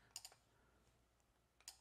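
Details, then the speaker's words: Woods timer switch powered up: small sharp relay clicks in two quick bursts, but the relay never latches on; suspected failed load resistor and 100uF 50V capacitor inside. "but as you can see it's not working it just clicks you can hear the relay inside clicking but it's not staying on"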